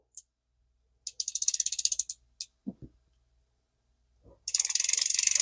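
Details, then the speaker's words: 1966 Shakespeare 2052 fishing reel, hand-cranked: fast dry clicking with a duller knock, not the rotor bearing but likely a damaged spot on a gear; replacement gear set possible. "Got a knock to it. Do you hear it? That's not the rotor bearing. That's a gear."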